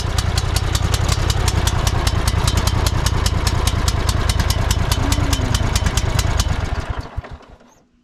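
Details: Cub Cadet GT1554 mower, long-stored after a rollover, first start attempt with throttle held: fires with a rapid uneven beat for several seconds, black and blue smoke, then quits.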